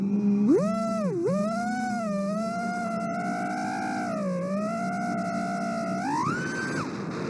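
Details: FPV quad drone said to run stock Betaflight, with a fluttery motor sound that goes away at full throttle. The motor whine warbles as it sweeps with throttle: a D-term oscillation from the PIDs overreacting.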